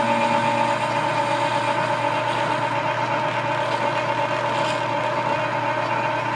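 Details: Lathe with dual belt drive through the gearbox, roughing a spring perch sleeve: steady hum with dry, rough rubbing under it as the tool bites; worn drive belts rubbing, not tool chatter; belts need repair.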